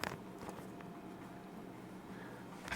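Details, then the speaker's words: Hampton Bay ceiling fan, mic held up near it: quiet steady hum with a few dull, uneven knocks; knocking felt and heard in the motor bearing at top of motor; suspected bearing knock, not confirmed. "i'll put the mic up to the ceiling fan you can hear it knock you're knocking"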